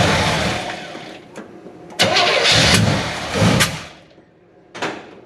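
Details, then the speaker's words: 1970 Chevy C10, 327 small block, HEI distributor, manual choke, after the distributor was found installed wrong: cold start, cranks briefly, fires and revs, then settles even with no misses before warm-up and timing set. "so I will get this try to get this set up here where you guys can see and fire it up see how it runs cold and let it warm up a little bit and then set the timing"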